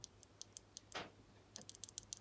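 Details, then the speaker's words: Mitsubishi Evo fuel injector (suspected cause of hard starting and rough idle) pulsed on the bench with a new battery after a 7 V battery: faint irregular ticks, then quicker light clicks as injector cleaner fluid unsticks it and it fully opens; sticking fuel injector. "The clicking is louder, but now I'll try a brand new battery. After making contact a few times, the injector cleaner fluid unsticks the injector and it fully opens."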